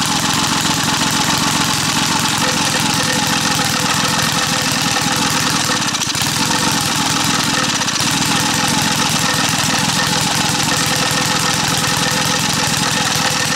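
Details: Small petrol engine staked down outdoors, testing the myth that sugar in the fuel tank destroys an engine. It holds a loud, steady, even run with no misses or knocks.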